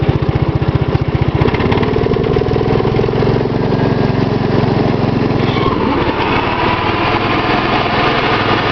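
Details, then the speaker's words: Gravely 810 with Kohler cast-iron engine, long-unused mower deck engaged: steady single-cylinder thumping, then a harsh gritty rumble from the deck; owner says rusty deck bearings from sitting make it noisy and need replacing. "I'll show you what the deck sounds like. It's really noisy."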